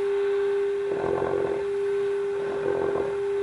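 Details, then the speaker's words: 1930s Philco 112-B radio after electronic restoration, during alignment at the 1400 kHz high-frequency compensation adjustment. A constant mid-pitch whistle with crackly bursts: the receiver is oscillating and very touchy; cause not pinned down. "as you can hear i'm getting oscillation and as you can also hear"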